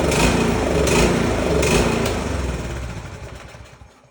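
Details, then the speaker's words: Snowblower single-cylinder engine after carburetor repair mixing new carb parts into the old carb: fires up on its own and settles into quick steady beat, running cleanly; normal start and run, successful fix. "It's a successful fix. Remember guys, if you don't try it, you're not going to fix it."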